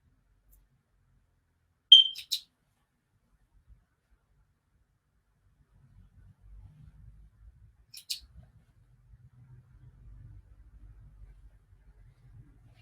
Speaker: even though it's tied into the mains um it still wants its battery change but it's actually physically impossible to remove it from the ceiling to fix that i have tried and yeah so occasionally there is a chirp i barely ever hear it anymore